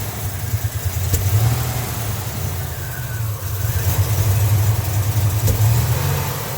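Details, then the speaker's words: 1987 Buick Grand National, fuel pressure about 33 psi (40 with regulator vacuum line off): rough low idle sags and nearly stalls on throttle blips, popping through the intake; bad off-idle hesitation, worse with more throttle, noisy AC clutch. "There. That's a pretty bad hesitation. Now when you give it a lot of gas, it'll hesitate real bad."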